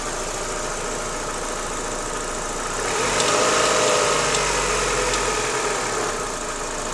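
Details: Lanos 1.6 16V engine at idle: light regular tapping about three to four times a second; engine knock that disappeared after replacing timing belt and idlers, though removed parts looked fine.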